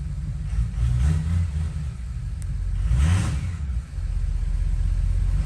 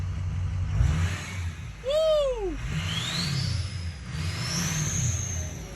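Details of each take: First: Ford 6.0 Power Stroke diesel after head studs and head gaskets: revs rise and fall with a deep rumble but none of the usual turbo whistle; the turbo vanes are not actuating, giving no boost. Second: Ford 6.0 Power Stroke diesel after head studs, head gaskets, regulated return and an exhaust back pressure sensor swap (VGT duty cycle had been stuck at 15%): throttle blips bring a clear whistle rising and falling over a steady rumble. Normal turbo whistle.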